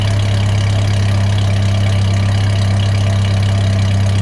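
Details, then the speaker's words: 1998 Ford Ranger, after replacing a fuel injector for a rough idle, listened at the tailpipe: steady, even low idle, no miss or stumble; sounds pretty good, normal idle. "I'll back to the exhaust pipe and take a listen. Sounds pretty good there."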